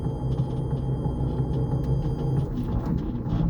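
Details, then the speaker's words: MG Midget electric conversion with a newly installed replacement motor, driving in reverse: low rough gritty growl while the motor stays quiet, smooth going forward; grinding in reverse gear, owner suspects transmission damage from the earlier motor failure. "This is in reverse right now. It's pretty bad. Actually sounds very good going forward. So something with reverse gear is wonky."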